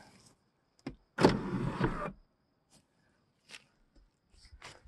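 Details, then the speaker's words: 1KIS car revived after deep battery drain, powered from a jump station, key on: short smooth motor whir about a second, stops cleanly, no grinding or straining; power sunroof closing normally. "We have power. We can roll up windows. We can close sunroofs."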